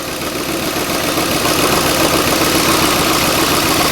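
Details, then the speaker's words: 2010 Ford F-150 4.6 V8 after a timing chain rebuild, idling with a slightly uneven beat, occasional stumble and a known exhaust leak. Slight misfire with check engine light on; owner suspects a coil he broke earlier, not confirmed. "yeah, just got a slight miss. We'll clear the codes and come back and see what that miss is. But it's more than likely it's that coil."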